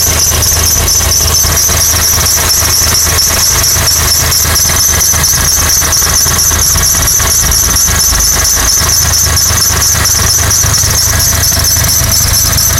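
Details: 2006 Honda Accord engine at idle with a constant high-pitched squeal riding steadily over it without changing pitch; source unknown.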